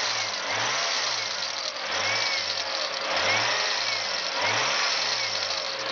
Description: 2jzgte vvti with a metal clashing sound when engine rev. To fix this issue, it was quite simple. Turns out the drive belt was bad.